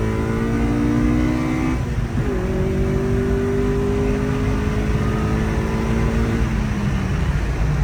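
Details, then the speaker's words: 2000 Honda Civic Si (EM1) B16A with rebuilt head, Skunk2 intake manifold, on stock ECU: full-throttle acceleration, note climbs smoothly, breaks off at a shift, climbs again with harder top-end tone; clean, normal pull. "so I am going to give you guys a pull though you know the best of my ability just on the stock ECU"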